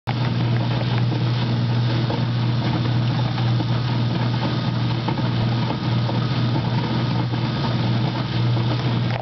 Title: Noisy coupler after greasing it